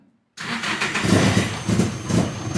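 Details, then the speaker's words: Engine on its first start after a long build, head back together, tuned on a laptop, injectors turned all the way up with the number at about 300–350: it catches, surges unevenly, then fades and dies; cranking fuel too low, larger cranking numbers needed. "Okay, so it started and died. Alright, hold on. I'm gonna put this back to 0, and I'm gonna make this, do these cranking numbers. For whatever reason, it wants huge numbers here."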